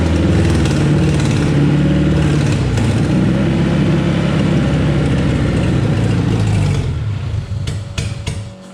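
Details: Race car first start-up on a base map, immobilizer disabled, throttle worked by hand, old fuel in the lines: it fires and runs rough and lumpy for several seconds with uneven pulses, then fades and dies; plugs to be checked and old fuel flushed.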